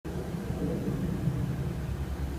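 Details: 2004 Mitsubishi Outlander at idle, about a year after head gasket repair: deep, uneven rumble with rough, fluttery edge, exhaust leak from improperly sealed exhaust manifold, checked with soapy water spray.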